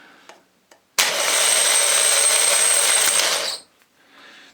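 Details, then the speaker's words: Salvaged Jaguar X-type/Ford Transit/Mondeo starter motor bench-tested before repair: a brief harsh, buzzy, uneven whirr of about two and a half seconds; it works but not well, later fixed by cleaning and oiling. "put the Earth on and uh we want to be putting power onto here for a start and then as it's touched on here we we touch it on there oh oh it works but not very good"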